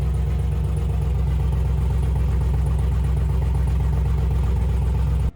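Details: 6.0 V8-swapped Camaro restarted after tidying wiring and commanding the fuel pump on; deep, uneven idle with a lumpy, stumbling beat and dropped pulses: misfire from a reversed coil harness.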